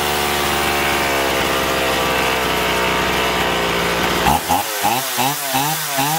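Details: Chainsaw after carburettor cleaning (had surged and lost power even unloaded), both L and H screws set fully in then out 1.5 turns: strong steady high revving about four seconds, then rhythmic load dips cutting wood, recovering cleanly; running properly.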